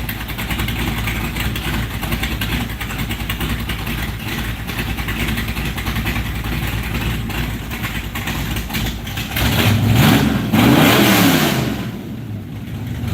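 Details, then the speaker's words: First start-up of a 1968 Plymouth Barracuda V8: loud, even lumpy idle with one clean rev blip, exhaust drowning out the working fan; engine runs healthy, though a small fuel leak was found at the fuel pressure regulator. "hell yeah hell yeah we even got fan working that's awesome I couldn't even hear the damn thing over the exhaust"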